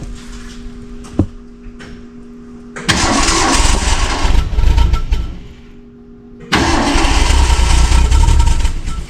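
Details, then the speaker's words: 1966 Ford Mustang 6-cylinder barn find, not run in 40 years: on ether it fires in two rough bursts of a few seconds, then dies back to cranking; timing thought close; owner suspects a plugged carburetor; a mouse nest is in the exhaust. "I think the timing's fairly close close enough to run um but I'm having to help it with the starting fluid"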